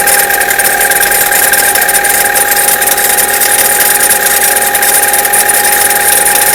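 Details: Chevrolet Cruze, cold start below 0°C: a steady metallic ring with light ticking over the cold idle, fading after about a minute; no noise at 0°C and above; cause unclear.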